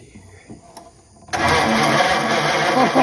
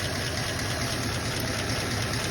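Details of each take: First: Original 1934 Ford coupe flathead, sitting 20+ years: starter engages and churns steadily with faint uneven catches; engine cranking and trying to fire, progress made. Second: 1934 Ford coupe flathead, original and sitting 20+ years, running after its original coil was reconnected (something suspected wrong inside the distributor housing): low, even idle with a soft steady beat and no misses or knocks. Smooth idle.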